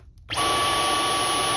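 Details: Dyson V11 cordless vacuum that turns on by itself: silence, then the motor suddenly spins up to a steady high whine with no trigger pull. It powered on when the gapped handle housing was pulled at the bottom; a broken trigger screw post pressing the power switch is identified as the cause.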